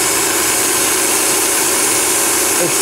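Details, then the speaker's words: VW/Audi V6 at idle with codes P0171, P0174, P1136 and P1138: loud, steady hiss over a quiet idle from an intake hose whose rubber split apart with age and heat; vacuum leak causing a lean mixture. "It's a common problem, this is not the first car I had. And you can hear that air leak right in this area right here."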